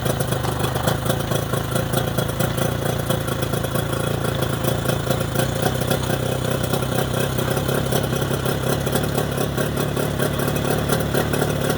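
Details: Mercury 25HP two-stroke outboard in neutral after the Boyesen power reeds are fitted: steady, even idle at about four pulses a second, with no misses or surging. Normal idle.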